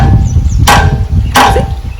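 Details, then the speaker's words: Royal Enfield Bullet 350/Classic 350 rear brake pedal: two sharp metallic clacks about 0.7 s apart as the foot comes off the pedal and it strikes the silencer pipe; annoying but not serious, an easy spanner fix. "sound comes and I tell you this sound is very annoying I'm sure most of you guys might be facing this problem but don't worry is not a serious problem and this very easy fix to it"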